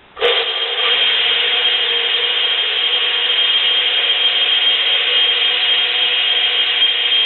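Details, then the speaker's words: Dayton 115/230 V motor wired for 120 V, previously left outside, stiff shaft: harsh, steady grinding rasp with thin high whine on startup; dry, wrecked ball bearings, motor not expected to last. "it sounds horrible makes like a grinding noise and some other stuff and it's probably not going to last much longer"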